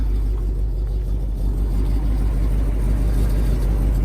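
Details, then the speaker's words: 1958 Pontiac Bonneville Sport Coupe, original survivor, 370ci V8 with factory Tri-Power, just started: deep, even rumble holding steady without misses or knocks, running really good. A slight under-hood rattle is noted that doesn't affect drivability. "Runs really good. Sounds good."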